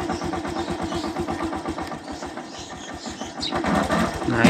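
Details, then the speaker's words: Yamaha YTX125 motorcycle, battery at 10.5 V and draining again 4 days after burnt wiring was repaired and the regulator replaced: slow, uneven starter chugging that drags without catching. Weak cranking from the discharged battery, with unstable voltage. "Ayan, di siya naka-start. 10.5 yung volts niya. Pag i-start natin, mahina battery."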